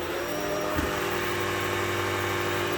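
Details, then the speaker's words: Shark PowerDetect vacuum moving from carpet onto hard floor in quiet mode with brush roll at full speed; loud steady motor drone with harsh rasping scrub as the spinning brush roll rubs the hard floor, flinging debris back out. "You can just hear that rubbing against the hard floor."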